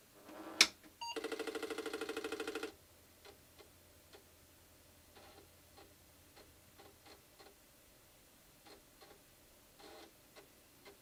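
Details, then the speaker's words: Apple II with Duo Disk floppy drive during repair work: a short buzzing spin-up, then soft irregular head-step ticks as it reads and boots. Normal, healthy floppy drive. "okay so this one's working all right so that booted up oh sorry here let's do this all right so the floppy drives working the duo disc is working in this"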